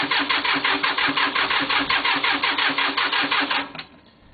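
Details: Cub Cadet diesel, cold start attempt right after the glow plugs read hot: even cranking, about three compression beats a second, no firing at all; cranks but won't start, cause unknown, owner expects it will probably start after sitting and re-glowing.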